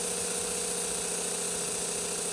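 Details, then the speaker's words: Berdair 12 V pump on a PWM signal generator at 30 Hz: a steady hum with fast flutter, like an old piston engine idling. The choppy pulsing comes from the low PWM frequency. "I'm sure there's a mathematical formula somewhere that it's going to be dependent upon the Armature of the motor and whatnot but there we have that that old engine pulse set going there"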